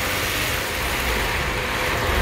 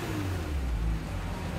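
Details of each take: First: Kia Stinger GT GDI engine held at a slight rev during intake valve carbon cleaning, cleaner fed through the catch can/PCV hose; it surges, sputters and stumbles as if about to stall, which is normal. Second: Kia Stinger GT GDI engine under light throttle right after an intake valve and fuel system carbon cleaning; the deep, even note has no misfire or stumble, and it runs smooth and normal.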